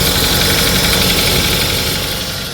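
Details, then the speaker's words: 2005 Pontiac Vibe (Corolla/Matrix engine) at idle: fast tinny chatter mimicking valve tick, actually from a worn belt tensioner pulley, bearing also suspect; tensioner to be replaced. "now I know what you're thinking that sounds like valve train noise it's actually the tensioner pulley you can see it not very good"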